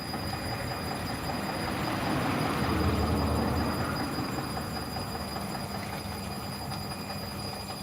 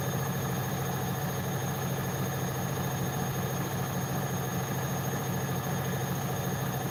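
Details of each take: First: Bosch WAE24364GB washing machine after a new motor, with worn-out dampers, spinning an unbalanced load: rumbling spin with a repeating knock near three per second that follows drum speed. The owner doubts it is the spider; cause not confirmed. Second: Bosch WAE24364GB washing machine after a new motor was fitted, at high spin, above 500 rpm: smooth, constant drum drone with no bangs, thumps or stalling, not tripping anything; running normally.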